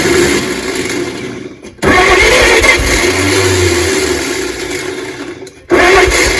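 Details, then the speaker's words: 1938 Chevrolet Master Deluxe that has sat since the early 1970s: steady starter churning in long bursts with short pauses, never firing. It cranks but won't start and seemed to want a lot of gas; an open vacuum port was later found. "we were just trying to start this thing and I was noticing that it wanted a lot of gas"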